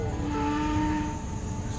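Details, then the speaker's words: 2013 Lincoln MKX right after engine replacement, first start: steady engine rumble with a whining tone drifting in pitch from the power steering pump, foam in the fluid expected to clear; no misfire. "one time this noise is just a power steering it's gonna go away when uh the foam gets the oil"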